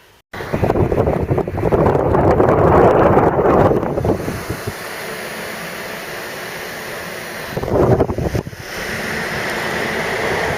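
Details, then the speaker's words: Mk3 Ford Cortina GXL early fibreglass heater box refurb: blower motor bench-tested off a small battery pack before reassembly, oiled with three-in-one; steady airy whoosh at constant speed, no ticking or scraping, very smooth normal operation. "very smooth operation before we put it together it'd be crazy we didn't test it's a little pack just to run it up nice and beautiful runs even better with the uh the three in one"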